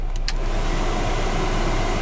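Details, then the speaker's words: Lada 4x4 Urban heater blower after its motor was replaced under warranty for whistling in cold weather (earlier a burning smell, something rubbing): steady, even rush of fan air, no rubbing, ticking or knocking, now much quieter; blower running normally. "хотел дать вам послушать как печка шумит смотрите стала печка намного тише работы с первое положение"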